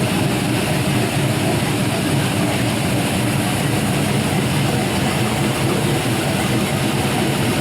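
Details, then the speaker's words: Exhaust of a warm (192 degrees) 5.3L Gen 3 LM7 LS V8 with a big cam (228/230, .585 lift, 112 LSA), new O2 sensors and a base tune: a deep, steady idle throb with no knocks or ticks; normal idle. "get one more listen to the exhaust i just love that how these camshafts sound so good"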